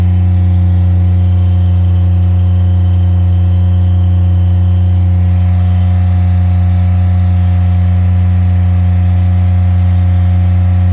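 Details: Miller Bobcat 200 Air Pak diesel welder-compressor running after repair of a compressor locked by rust and water from a faulty intake valve: steady, even diesel drone with a smooth, unchanging beat and no knocks or squeals. It runs healthy.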